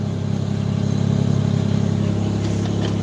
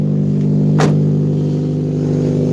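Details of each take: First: Ford Ranger 4.0 pushrod V6, five-speed in neutral, 128,000 miles, older weak battery: deep, even idle with a smooth steady rhythm and no knocks or misses; a healthy-running engine. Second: Car with rotted-out exhaust at steady idle: loud, raw, blatty drone much harsher than a stock muffler, one of the loudest cars started; exhaust leaking from the rotted-out system.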